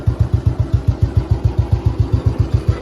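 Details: 2008 ex-Navy Royal Enfield Bullet 350 during restoration, after tappet setting: an even, steady thump of about seven beats a second with no ticking or clatter. The tappet noise is gone and it idles clean.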